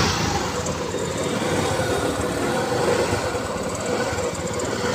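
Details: TVS Jupiter scooter with a starting problem and no current to the HT coil, after replacing the CDI: small single-cylinder engine starts and runs steadily with an even buzzing beat, no misfires; running normally.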